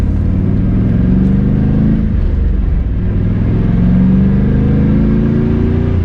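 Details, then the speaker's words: Big-turbo LS6-swapped Volvo wagon, about 650 whp, driving with new quiet 3.5-inch stainless exhaust: under quiet exhaust drone, a steady mid-pitched whine rising and falling with road speed; the rear diff is now the loudest part. "the diff is now by far the loudest part i don't know if you guys can hear it it's kind of like a wine"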